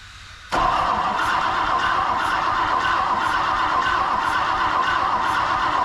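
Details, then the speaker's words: 1959 Ford Thunderbird 352 V8 parked 33 years, points just gapped at 0.016 in: steady starter cranking about four turns a second, no firing; no spark despite good ground, cause unknown, owner plans 12-volt feed to coil. "I'm not getting spark. I don't understand why I can't get spark with this car."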